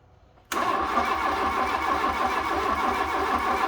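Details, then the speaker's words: Fiat Punto GT, long unused, relays refitted, suspected lack of fuel: starter churns at roughly three and a half turns a second, sluggish and uneven, engine never fires; crank no start with slow cranking, cause unconfirmed. "not starting. Just seems to be turning over a bit slow as well."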